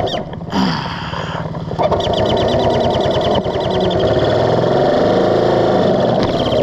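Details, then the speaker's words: Barn-find Honda CL350, carbs cleaned, ridden 300 off-road miles: engine runs steadily with a fast, uneven ticking near four a second and a thin high chirp riding on it; intake air leak. "the CL even ended up on side a few times and a few of those times it stayed running while on side intake leak still chirping"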